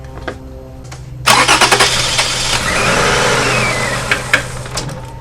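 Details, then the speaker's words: 2006 Toyota Camry 3.5 2GR-FE, cranks but won't start with spark present: after part cleaner is sprayed into an intake hose it catches, runs roughly about three seconds and dies. Fuel pump, fuse or relay suspected. "so at this point here the engine was running until the uh car is empty right so that means that it could be your fuel pump"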